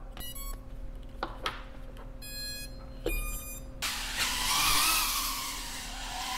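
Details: BetaFPV 85 Pro 2 tiny whoop drone after fixing a flight controller stuck on three beeps by wiring an external Matek 5V micro BEC: a few startup beeps, then a steady high airy whir of smooth, even motors in flight.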